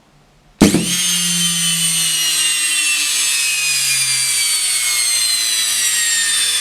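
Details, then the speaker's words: Samsung washing machine brushed motor that stopped turning during washing: snaps on into loud, high, raspy whine slowly sagging in pitch; noisy running, brushes probably worn out, not confirmed. "bien, de bien sûr, le moteur était plus audible, eh bien, nous avons maintenant vérifié le moteur avec le nôtre,"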